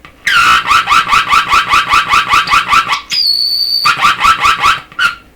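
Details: Deforest 10DA517 AM tube radio after capacitor replacement: loud pulsing howl warbling about 2.5 per second, then steady shrill tone; oscillation, touching detector or IF tube affects it, cause not yet found.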